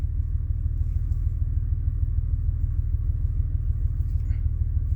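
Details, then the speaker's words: 2000 Honda Accord petrol engine just started, stalled once after 2 seconds: deep, uneven lumpy idle pulsing irregularly, flashing check engine light, misfire codes for almost every cylinder plus evap codes; misfiring cylinder not yet identified. "But as you can see, the check engine light is flashing. When we check codes here, it says almost every single cylinder has had a misfire at some point."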